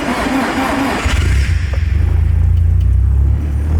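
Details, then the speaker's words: Nissan 240SX S13 with freshly built SR20 engine, first start after install, no coolant yet: starter cranks about a second, then engine catches and settles into a steady, even low rumble; normal start. "It started. Oh my god. Oh my god. It started."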